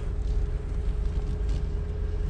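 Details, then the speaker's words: Van engine idling after the power steering reservoir was filled fully; the power steering pump now runs quietly with a steady low rumble, no foaming and no whine, much better than before when steering was very bad. "right yeah that's a lot better than it was last time but i did fill up that reservoir all the way this time doesn't sound like it's foaming up because you would hear it whining"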